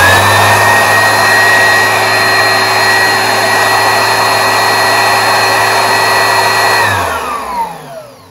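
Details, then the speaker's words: Oreck XL upright vacuum after new belt and roller installed; steady, even motor whine with smooth airflow rush at constant pitch, winding down at switch-off, healthy running with suction restored. "Perfect, guys. We got suction. It turns back on no problem. It's all fixed."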